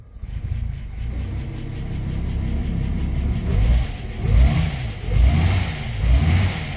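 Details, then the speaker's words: 1949 Armstrong Siddeley Lancaster first run after a year, hot day: engine runs unevenly at low revs, surging and dipping about once a second; dies on full choke, keeps running only with choke about three-quarters out. "if you pull the choke all the way out she dies so if you pull the choke about three quarters of the way out she runs"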